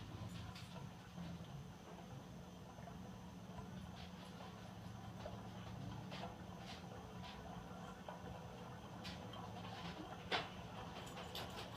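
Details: Toastmaster ceiling fan running on low then medium after seized bearings were freed with white lithium grease; steady low hum with irregular dry clicks and ticks from worn, noisy bearings.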